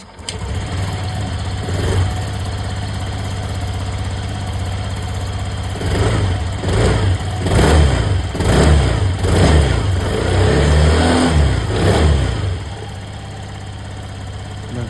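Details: TVS Callisto scooter after fixing weak fuel pump that caused sputtering, clicking, refusing throttle and stalling: fires up, settles to steady idle, takes several clean throttle blips and returns to idle without stumbling or dying.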